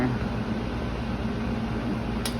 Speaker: but you don't see this fan spinning you can feel up here it's really hot that's either an indication of the fan motor gone bad or it could simply be this capacitor here